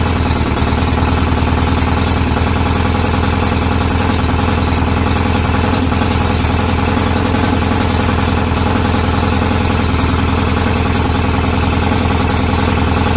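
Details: BSA A50 twin motorcycle bought as a non-runner, first start after restoration with newly fitted pattern exhaust pipes: loud, steady, even exhaust beat at fast idle, no misses or knocks, running cleanly.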